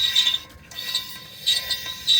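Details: Corvette front left wheel: high, scratchy ratcheting scrape in repeating bursts as the wheel turns, caused by a small hickory nut hull chip trapped between the dust shield and the front brake rotor; very loud at speed.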